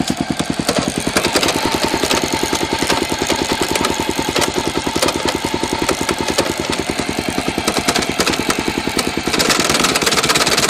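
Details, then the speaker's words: Honda XR650L single-cylinder motorcycle runs normally in first; after shifting into second with rising revs, a harsh uneven clunking mixes into its thump; clunking in second gear. "this lesson seems pretty normal in first now when we kick it into second it starts"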